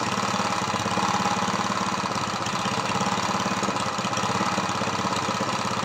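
Rapid uneven chuffing at about three and a half beats a second, steady but ragged throughout; small engine running rough, compression seems low.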